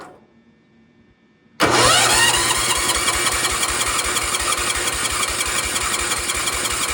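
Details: John Deere 140 garden tractor, long forgotten, after carburetor needle and seat work, on a battery charger's engine-start mode after a dead battery: the starter churns at a steady chugging rate, but the engine never fires; cause unconfirmed.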